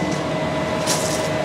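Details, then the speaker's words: Greenhouse gas heater after its heat-exchanger coils warm up: blower kicks on with an even, steady rush of air and faint constant hum, no knocks or rubbing. Blower running normally. "so it's heating up the coils of the heat exchanger and then once those heat up sufficiently the blower will come on to blow over the hot tights there it goes"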